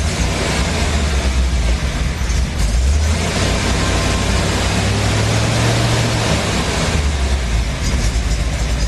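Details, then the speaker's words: Car engine cold-starting after a frayed TAD wire shorted, possibly damaging the ECU: it runs unevenly and surges, won't idle steadily without throttle work, and occasionally backfires; it runs better after about a minute. "interesting thing is if I just hold it in one position, it may not want to idle, so I have to play with it. But if I get it to a position where it does idle, or where it does run, it creeps up. But if I try to let it down a little bit, it will try to die."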